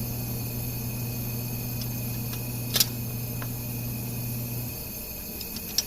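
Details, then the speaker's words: 2000 Dodge Neon 2.0 SOHC on a leak-down test at about 25 psi, cam turned slowly by hand: a steady air hiss over low compressor hum bleeds out the tailpipe, so this cylinder's exhaust valve is leaking. Head gasket job planned; overheating doubted. "make sure the valves don't hit any pistons and we'll see if we have a leak so you can hear it coming out the exhaust right there"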